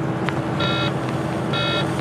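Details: Truck driving back to the plant: short electronic beep about every second over low engine rumble, persisting for hours despite several shutdowns and restarts; persistent warning buzzer that won't stop.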